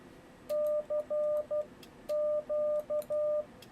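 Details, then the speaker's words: Yaesu FTdx10 sending CW at 12 wpm with break-in delay set to 200: slow Morse note near 600 Hz with a T/R relay click between every letter; delay too short for sending speed. "hear that relay turning off in between every letter so you kind of have to adjust that according to how fast you're going to be sending"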